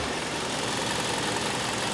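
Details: 2006 Hyundai Sonata 2.4L after repairing a vacuum leak that set lean-at-idle code P2187: steady, even idle with a constant hiss and no stumble, surge or whistle; normal idle.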